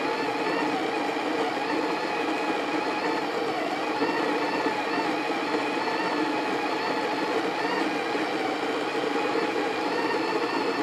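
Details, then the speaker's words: Breville Smart Grinder Pro grinding coffee to dial in a Breville Infuser espresso machine. It gives a steady, even motor whir with no surging or rattling until it shuts off. Running normally. "We're using, to dial this in, we're actually using the Breville Smart Grinder Pro, and I'm just set it there."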